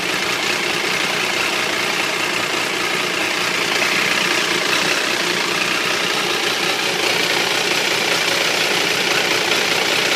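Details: Triumph 955i at idle with a busy, tinny clatter and no clear beat; the noise is constant, worse when the engine is hot and louder on the left side. The owner suspects clutch or valves, unconfirmed.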